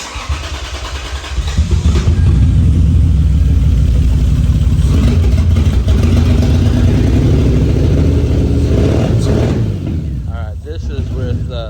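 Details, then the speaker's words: 2003 Lexus IS300 started and running with three injectors unplugged and no exhaust fitted: loud, lumpy, uneven beat with several cylinders dead; with them reconnected it idled well but wouldn't restart once shut off. "injectors unplugged I don't have the exhaust hooked up of course"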